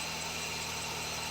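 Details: Old used car at idle at high altitude, roof/bonnet open: loud high-pitched squeal from engine bay varying in strength, the area smoked on starting the day before; owner suspects the drive belt, cause unknown; engine bay squeal.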